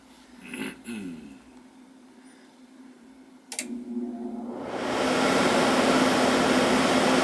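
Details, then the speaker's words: Old R-22 Carrier AC that iced up because its indoor blower stopped, after replacing the bad capacitor (read 2.7 instead of 7.5 µF): blower spins up into steady even airflow with faint hum, fan running normally. "Okay, so the fan's running."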